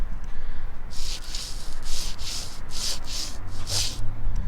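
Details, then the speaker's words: Removed wheel hub bearing spun by hand, mic held right against it: gritty, grinding swish pulsing with each turn instead of rolling quietly; bearing worn out, replaced with a new one. "that was uh i stuck the mic right to it this bad boy was toast so luckily we got it out we got the new one in there"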